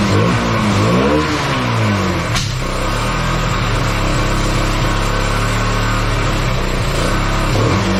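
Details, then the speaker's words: Bayou 220 ATV, sat for 8 years, after cleaning the clogged carburetor and refitting it without an air filter; crisp single-cylinder revs climb and drop cleanly and return to a steady idle, somewhat smoky. Normal running and revving. "oh well all right sounds like it runs just fine um it's almost like it was clearing itself up um but Smokey in here um yeah should run fine now"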